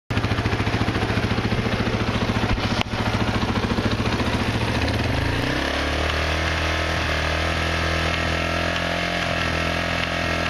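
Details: Quad engine at choppy idle then revving with clicking clatter over rising note; clicking on revving persists with clutch lever depressed.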